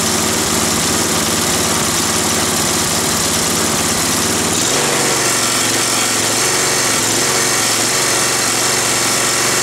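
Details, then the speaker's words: Roadside-salvaged Nautac mower with Quantum XM engine in poor condition: engine buzzes fast then settles to a lower steady speed, with rough shaking vibration throughout; owner blames the rusted, weakened deck and a probably unbalanced blade. "bon ça vibre mais bon normal Carter est rouillé il a perdu sa structure et en plus la là mais elle est déséquilibrée sûrement vu la gueule"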